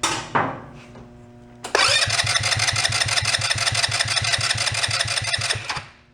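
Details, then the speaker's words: Two-passenger CVT ATV, believed 150cc; even cranking about three compressions a second, never catching, tried to unseat float. Stuck carburettor float needle letting no new fuel in; carb likely a mess, later removed. "Fortunately, yeah, it's not letting any new fuel come in. Couple of wraps, see if it'll unseat the float, but that carb might be a mess."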